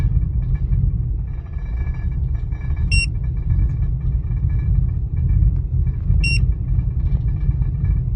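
Low, uneven rumble at idle with the beat wandering and surging rather than holding steady; a rough idle, cause not yet pinned down.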